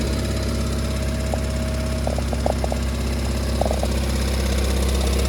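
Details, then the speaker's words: Seat Ibiza Bocanegra (Cupra) 7-speed dry DSG at idle in neutral: light uneven metallic rattle from gearbox side, not timing chain, from worn dual clutch; stops when drive is selected; fix was DSG clutch replacement. "So this is the noise what's coming from the engine bay, but it's not coming from the timing chain side, it's coming from the gearbox side. As soon as we will select drive, the rattle will stop."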